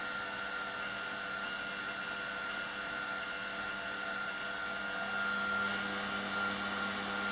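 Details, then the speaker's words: 1996 washing machine commutator motor after new brushes and bearings, test run: steady motor hum with a faint low rumble, no brush fire. Slight rumble while running; the drum bearings are suspected. "bearings are rumbling a bit. I think that the drum bearings may need something as well, but there's no brush fire."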